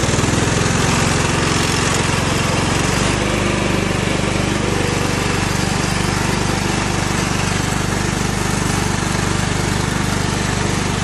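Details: Cub Cadet HDS 2135 riding mower, Kohler engine, built about 1998–99, after relay replaced: steady, even low thump at idle, no misses or knocks; engine runs quietly and idles nicely.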